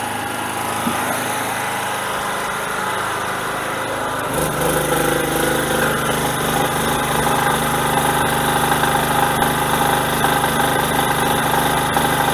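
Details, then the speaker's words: Generator small engine, choke off, load being added: steady hum that picks up and firms as load comes on, holding an even governed beat; normal running under load. "i want to run it until the gas runs out i'll put the load it should run faster"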